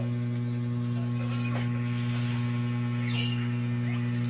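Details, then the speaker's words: DB Audio integrated amplifier, four transistors already replaced: loud, steady low mains hum from the tone control board, gone when the board is disconnected. Caused by a lifted ground connection on the tone control board. "May humming siya mga sir. Ugong siya,"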